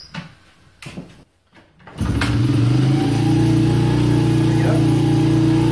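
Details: 2006 Honda CRF70F running rough on old fuel, fuel treatment just added before carburetor cleaning: catches after a few tries, steady slightly uneven putter; rough running, owner suspects old fuel.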